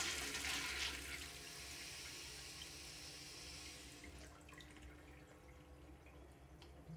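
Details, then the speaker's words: Urinal flush valve after water-hammer repair: diaphragm swapped for smaller 1.0 (from 1.75) and Sloan cap replaced, old cap possibly leaking and not sealing; rushing hiss fades smoothly to quiet trickle, no bang when valve shuts, normal flush. "so that's all I did I just read Lord diaphragm to a 1.0 and then I put in another camp because the camp could have been letting in water too and it wasn't selling properly"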